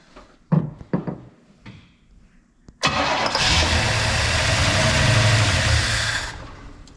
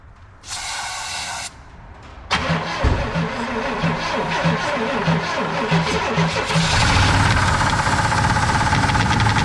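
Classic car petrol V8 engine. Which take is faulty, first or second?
second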